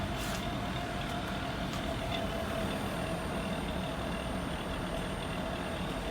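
Steady whirring hum with a thin high tone near 700 Hz running through it, an outdoor unit making an abnormal noise; cause unknown.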